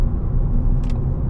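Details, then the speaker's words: 2014 Ford Fiesta Ambiente 1.4 Duratec cruising on newly fitted Radar Dimax Sprint tyres: a smooth, even low road rumble with no woo-woo throb, unlike the old tyres; quiet, normal tyre noise. "Initially, when we left home, you could already hear that I'm getting the woo woo sound, and so far, I'm not experiencing it."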